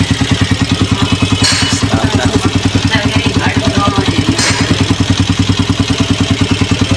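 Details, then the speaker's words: Honda 125 Special Edition self-start bike idling with a steady even single-cylinder beat and a few crackly snaps, tested across the two stator coil wires during a battery-not-charging, rectifier and self-start diagnosis; coil output is strong and normal. "ये देखें आपस में आवाज बेहतरीन आ रही है नीचे coil कड़े का करंट ठीक है"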